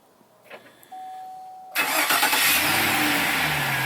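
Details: 2009 Chevrolet Silverado remote start after Fortin plug-and-play install: a few quiet relay clicks, brief crank, engine catches cleanly and settles into an even idle; healthy start.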